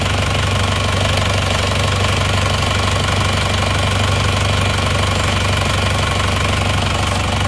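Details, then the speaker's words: Isuzu Panther diesel after repair for oil-dipstick blow-by, warm at 73°C after a drive: steady, even idle clatter with smooth low rumble, no misses or knocks, sounds like new; dipstick smoke now normal. "Untuk mesinnya suaranya halus ya, ini suaranya halus, oke, seperti baru."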